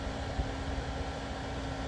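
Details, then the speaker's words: Frigidaire small ice maker, condenser fan starting, 3.75 amps measured with fan on; quiet steady hum, constant low tone, no rattle or scraping; normal fan operation. "sorry I think that's just that's just the fan for now so 3.75 amps with the fan seems to be quite a bit"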